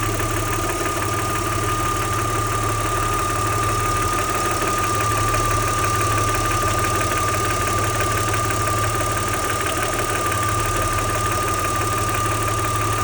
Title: Audi 80 V6 2.6 Motorgeräusch Klackern Nageln?